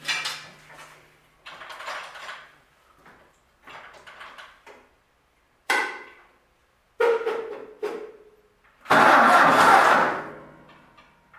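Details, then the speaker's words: Freshly rebuilt Ford tractor with brand-new carburetor, fuel turned on, first start attempt: short sluggish cranking bursts fading within a second or two without catching; dead battery, charger then hooked up. "fuel dead battery all right all right chargers hooked up let's give her another shot"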